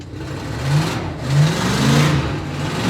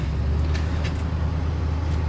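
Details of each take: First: 1966 Ford Country Sedan station wagon big-block V8, cold start: catches and runs with uneven surging revs; owner calls it a little cold-blooded, a hard cold start. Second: 1966 Ford Country Sedan wagon with FE big-block V8, after a C6 transmission swap and new starter, cold start early morning: starts right up into a low, steady rumble with no grinding. Normal cold idle, and the new starter is much quieter.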